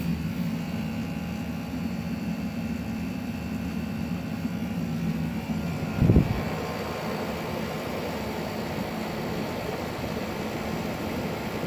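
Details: A.O. Smith hybrid heat pump water heater, the second unit making the same noise after the first was diagnosed bad: a loud, constant low buzz with a rushing fan and faint whine, audible upstairs through the floor.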